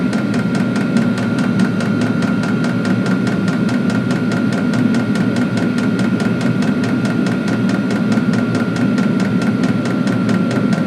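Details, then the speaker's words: Diesel heater in a custom truck camper, about 10 minutes after start and warming the cabin to about 50 degrees: crisp fuel-pump ticks about four a second over a steady fan rush and faint whine; normal running with pump ticking. "Yeah, it's getting nice and warm now. Very quiet on the outside."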